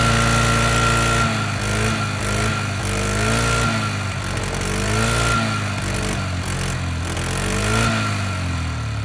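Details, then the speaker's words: Polaris Sportsman 500 ATV (owner thinks 2002), bought non-running after sitting a long time, fuelled with 2-stroke gasoline; on first start the engine catches and holds, revs swelling and dropping smoothly with a clean, even beat. Running normally. "Guys, I told you I was going to light it up as soon as I started it. Well, I tried, but I didn't want it to die. But as soon as I got it going, I got it going."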